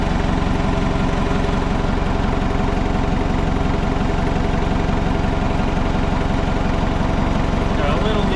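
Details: Old Hitachi excavator diesel, abandoned possibly over 10 years, started after hydraulic flow diverter work: deep, even rumble with steady beat, no dips or stumbles; idles smoothly and isn't stalling.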